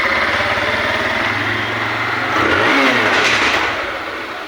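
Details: TVS Apache single-cylinder bike with a noise complaint that sounded like cylinder noise but was traced to the camshaft: runs evenly, brief throttle blip rising and falling cleanly, no top-end tapping. Normal running.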